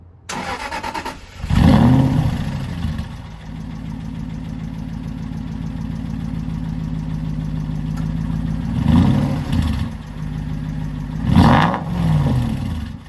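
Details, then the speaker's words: Aston Martin six-speed manual at an auction: cranks and settles into idle with an even, clock-like tick like an old grandfather clock; suspected worn valve gear, possibly valve bucket shims, not confirmed. "that is not good it's taking like an old Grandfather's Clock I'm not buying that I mean yes it has hydraulic lifters and the reason that these fail is because it's the shims on the buckets of the valves that tend to go"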